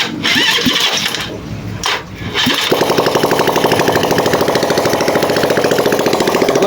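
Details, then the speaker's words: RKS150 motorcycle temporarily reassembled with used piston and valves, first start: after a rough crank the single fires and settles into a fast, loud, clattery beat, noisier than a healthy idle. Cause not yet confirmed. "maingay. So umandar na mga boss mga bay."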